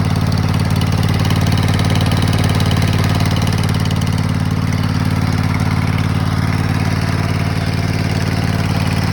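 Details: 2004 Kohler Command 23 hp twin-cylinder zero-turn mower engine, 580 hours, after replacing blown head gaskets, leftover oil burning off in the muffler: steady, even low drone with no knocking or misses; normal running.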